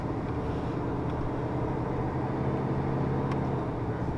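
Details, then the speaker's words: 1994 Dodge Dakota 5.2 V8 after fuel injector replacement, vacuum line disconnected, engine slightly warm, road test; smooth even drone pulling steadily under load, no stumble or knock; accelerates cleanly. "Feels just fine. Accelerates nicely. Sounds good."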